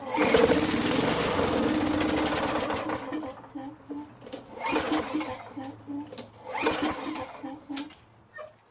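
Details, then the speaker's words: Craftsman 5.5 hp Tecumseh 21-inch push mower, varnished carburetor treated with Mechanic in a Bottle: fires on prime, runs briefly, falters, surges and dies; only runs on prime. "Only works on prime. That's all it does."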